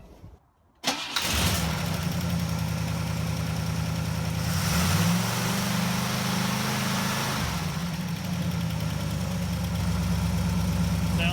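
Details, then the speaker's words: 1960 Pontiac Ventura, garage around 55 degrees, choke tested near freezing after cold-running complaints: engine catches quickly and settles into a steady fast idle with an even, smooth beat; normal cold start. "let's go ahead and start it up and see how it runs hopefully it doesn't idle too high or or too low"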